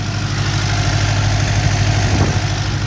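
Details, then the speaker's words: Ford Mk1 Escort panel van carbureted engine idling after three new fuel filters and a tank filter were fitted to stop the carby blocking, temperature now not too bad: steady, smooth drone with no misses, knocks or hunting, a normal idle. "So I now have those 3 filters installed and it is running."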